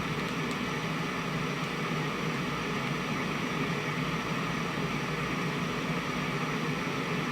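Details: Constant, even hiss in the right channel of a 1971 JCPenney 1758 solid-state stereo, traced to the TR20 stage. Moving TR20, R110 and C142 changes nothing; R110 is to be replaced next to rule it out. Source still unknown.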